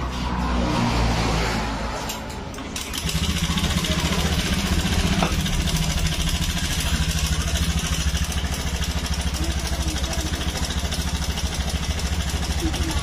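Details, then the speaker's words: Honda Scoopy scooter, about 2017–2018, idling: coarse, clattering rattle over a low, steady beat; owner previously felt a problem around the CVT area, cause not confirmed. "ini dengan permasalahan suar mesinnya Kasar banget berisik ya Jadi kita di sini untuk menganalisa memperbaiki masalah suara berisik nih"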